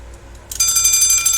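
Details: Westclox Big Ben alarm clock being revived, alarm wound: half a second of quiet, then a fast, bright metallic bell rattle rings evenly; alarm trips and rings normally.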